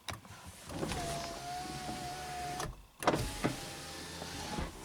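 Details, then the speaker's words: Driver's-side power window on a 2005 Honda Accord EX V6 coupe (B-CAN network) does nothing, but the passenger window works normally: a steady motor whine for about 1.5 s, soft thud at the stop, then running again. This shows the control unit/switch has power. "the passenger one works so looks like we got power to our unit here the control unit or switch here"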